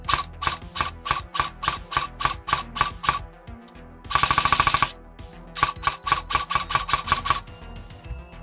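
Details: Specna Arms X Series Flex airsoft gun with original connector, test-fired with crisp, even semi-auto shots at about three per second, a short full-auto burst, then more singles; the gearbox cycles cleanly and normally.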